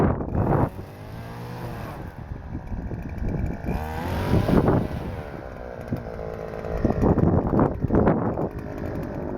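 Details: Stihl FS-250R two-stroke trimmer after carburetor rebuild kit (hardened diaphragm from long storage with old fuel), cutting wet grass: buzz climbs and falls cleanly as line bites, no bogging or misfire; normal running under load.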